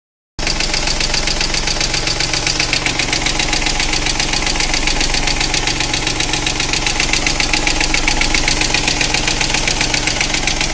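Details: Opel Corsa 1.0/1.2 engine at idle: steady fast metallic ticking, three to four per second; owner tried a hydraulic lifter additive and drove, with no improvement; suspected lifter tick, unconfirmed.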